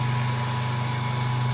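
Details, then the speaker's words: 1.7 kW three-phase asynchronous motor run as generator (star-connected) by a 0.37 kW 2860 rpm motor, no capacitors, giving three-phase 220 V: steady even low drone, no knocks or rubbing; normal running. "То есть, в принципе, вот всё работает."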